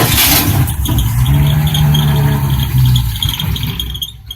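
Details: 1967 Mustang with 200 ci engine, cold start at 34 degrees on jumper cables, gas primed: engine cranks and catches with a steady high squeal over the idle for a few seconds; cause not confirmed.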